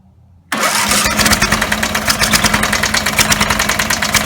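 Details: Rebuilt Briggs & Stratton 17 HP engine (carb rebuilt, plugs, sump, valves, gaskets): catches quickly and holds a loud fast pulsing rev at full throttle, never settling to idle, dies when turned down; owner suspects throttle linkage lever position.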